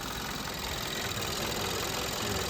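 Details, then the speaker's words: 2012 Hyundai Accent 1.6L, warm, codes P2187 and P2191, chugging: uneven, lumpy idle with a loose shuddering beat and hiss, engine visibly shaking; fixed by SeaFoam and electronic throttle body cleaning. "I don't know if you can see it on the camera, but you can see that that thing is shaking."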